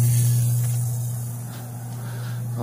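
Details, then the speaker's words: Insignia 37-inch LCD TV, picture works but makes a noise at switch-on: heavy, steady low hum throughout from power-on; abnormal drone from the set, cause not yet found before teardown. "she's like hey the picture works just fine but when you turn it on it makes a funny noise sure I'll take the television well when she said it makes a funny noise she was not kidding"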